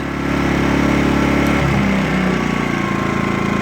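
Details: Sportsman GEN2000i inverter generator, new, on its first run. When economy mode is switched on, the steady hum drops to a lower, quieter pitch and holds evenly: normal economy mode idle.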